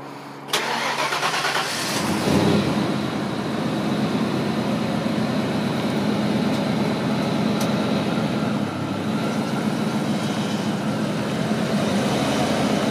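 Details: Low-mile, original one-owner 1993 Ford Mustang GT convertible, 5.0L (302) V8 with automatic overdrive: a short crank catches cleanly at two seconds, then settles into a steady, even idle with no knocks or misses; healthy.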